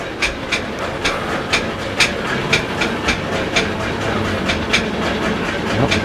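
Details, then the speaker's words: Travel trailer RV furnace running: sharp clattering knocks about twice a second over a steady hissing blower; something loose inside, possibly a fan, suspected but not confirmed. "as you can hear it is definitely making a noise would be my guess that um something has come loose inside um [Music] one of the fans that have come loose or something"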